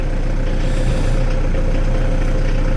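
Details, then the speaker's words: VW T4 diesel van after repairs, started on the key in heavy rain: deep, steady diesel clatter at idle with an even beat, no stumbles or misfires; running healthy. "Absolutely starts on the key. Fire it up again, and it starts up on the key."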